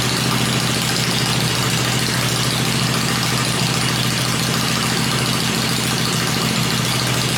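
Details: Freshly built 96-inch V-twin with Edelbrock heads on an engine run stand, cycled through revs before going in the bike; stand shakes at lower revs; steady, even thump at fast idle, no knocks, misses or ticks; normal idle.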